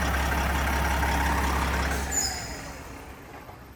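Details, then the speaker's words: Detroit 12.7 diesel at almost a million miles, after a full overhaul with new liners, pistons, bearings and a stage 2 cylinder head, first run after the rebuild: deep, steady, even idle before shutdown; healthy normal idle. ">> Man, sounds like an old Detroit. Smells like one, too."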